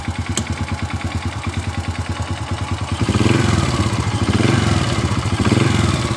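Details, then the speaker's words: Honda Supra Fit motorcycle, after replacing a left-side engine part that caused a kretek-kretek rattle when throttle opened: steady idle pulses, then a smooth rev from about three seconds with no rattle or scraping; normal running after repair. "tapi setelah kita mengganti di bagian dari bagian dari speed tangan ini sudah tidak ada suara gesekan seperti sebelum kita pembongkaran itu"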